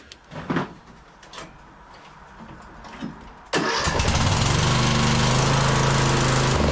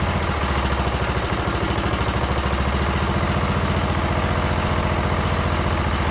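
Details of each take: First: Briggs & Stratton single-cylinder engine on Troy-Bilt Bronco lawn tractor, in snow and cold, after muffler fix and new spark plug: catches and holds steady fast idle but runs only on choke; carburettor suspected. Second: Briggs & Stratton single-cylinder on Troy-Bilt Bronco lawn tractor after second carburettor cleaning: steady, even thump at lowest idle with idle screw fully out, no misses or hunting; runs smooth, full rpm also good.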